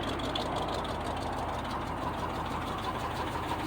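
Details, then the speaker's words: 1976 GMC Sprint after years sitting in a barn, first start, fuel pump leaking: even, steady low rumble with no misses or knocks, water from tailpipe, hitting on all cylinders; normal idle. "oh yes it sounds good sounds real good look at that water coming around that tailpipe sounds like it's hitting on all of them"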